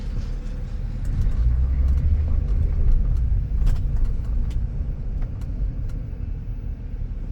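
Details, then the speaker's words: 2005 Ford Five Hundred (500) with 167,452 miles on test drive, window down, no check engine lights: low, even road rumble rising and easing with speed, no knocks, whine or grinding; drives quietly and normally. "It seems to be driving all right. It's really quiet."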